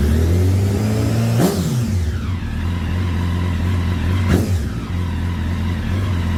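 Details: 2009 Honda Fireblade CBR1000RR that sat outside in an auction lot for some time, with the battery not fully charged: an uneven, lumpy idle with two sharp throttle blips that drop back unsteadily. Rough running, expected after the long standing.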